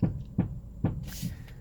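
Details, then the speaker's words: 2007 Honda CR-V (RE4): three dull low clunks about half a second apart from the front steering/suspension when turning the wheel either way; mechanics suspect shock absorbers or shock mounts, unconfirmed. "I've noticed recently that I hear a sound from the steering when I turn right or left."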